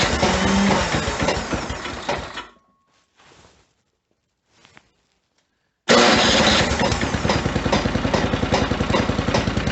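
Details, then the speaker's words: Snowblower at -10°F just after a hard, likely flooded start: regular knocking about three or four per second over the small engine's run, cut by a pause; source unknown, owner says not from the engine. "not sure what's making that knocking sound it's not coming from the engine though"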